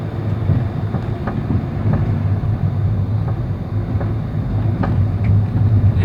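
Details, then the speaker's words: 2013/14 Honda Civic G9, about 20 days after purchase, driving: light, irregular knocks over road rumble from the right front suspension; the mechanic found loose parts there, probably improperly tightened after earlier tampering. "Eu fui no mecânico, ele falou que já haviam mexido, ou pelo menos alguém tentou resolver esse problema, porque tinha ali algumas marcas ali, né, de que foi manipulado ali, e de que havia algumas peças ali que estavam soltas."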